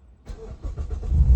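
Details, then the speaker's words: Engine start after removing the clogged catalytic converter, muffler fitted and battery negative disconnected to reset; brief crank, catches cleanly into a deep, throaty, even idle, exhaust sounding like a race car, check-engine light gone; normal start. "Yun, napakaganda. So tunog pa lang mga automotive, parang race car na yung tunog ng exhaust niya."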